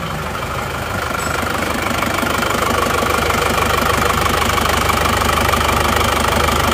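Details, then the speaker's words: Isuzu Panther Touring diesel with a new ring shaker, at idle. An even, steady clatter with no missed beats: as smooth as the Kijang, though there is more vibration in the cabin. "Ini sama-sama halusnya sebenarnya, sama-sama halus. Cuma kalau dari dalam kabin itu masih halusan Kijang."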